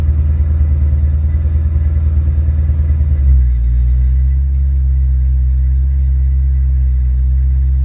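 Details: Ford Mustang mass-air car with a rebuilt A9P ECU: lumpy idle pulses, then a quick blip to a smooth held rev that stays even without breakup or an engine light; normal rev-and-hold test.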